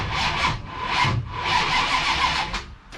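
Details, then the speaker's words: Ratty Challenger drag car, 440 race engine with a big cam, mechanical-advance distributor and no vacuum advance, no exhaust: slow, labored cranking that strains on each compression; it cranks fine with the ignition off but hard with it on. The owner suspects timing is changing; cause not confirmed. "so if i have the ignition off which it is it cranks over fine but now if i have the ignition on it's hard to"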